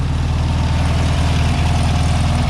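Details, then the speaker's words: 1967 VW Beetle first start after sitting for years, oil unchecked; even steady low putter with smooth regular firing beat, no knocks or misses; normal idle. "I know you're not going to believe me because this is just like, I can't believe how well this is working."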